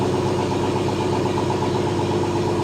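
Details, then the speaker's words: 1971 AMC Gremlin six-cylinder run after sitting since about 1984, on old plugs, wires, cap and rotor. The idle is steady but loping, with occasional stumbles from a misfire present from first crank; the owner wonders about a blown head gasket, unconfirmed. "Let's see if it'll crank without no help. Got a miss when I first crank it. I wonder if it's a blown head gasket or something."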